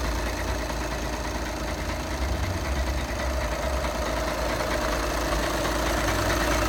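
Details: 2011 VW Passat B7 2.0 TDI CFFB 140 PS, DSG automatic, 277,000 km; diesel idle with uneven metallic rattle about three per second over low drone, gearbox end; dual-mass flywheel suspected, not confirmed.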